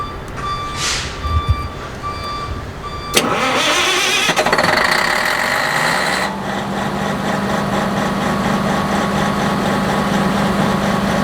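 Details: Electronic diesel engine on a 600 kVA generator, after replacing a blown fuse that caused hard starting: cranks, catches and settles into a steady, even idle with no misses or knocks; normal start and idle.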